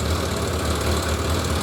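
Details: 1991 Suzuki 1100G four-cylinder with choke now off and recently reworked carbs has a slightly lumpy, uneven idle; mercury sticks show the carburetors out of balance, and balancing is underway.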